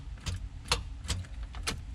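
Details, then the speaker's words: Ignition-key start test on a newly rewired vehicle after starter-relay wiring trial and error, with a dead battery: several sharp, uneven starter solenoid clicks and no cranking; battery needs charging to turn the engine. "as you can hear, the starter solenoid is activating when I turn it on, or when I turn it to that point, which is exactly what I want it to do."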